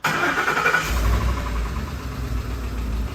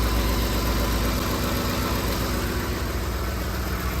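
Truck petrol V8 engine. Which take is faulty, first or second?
first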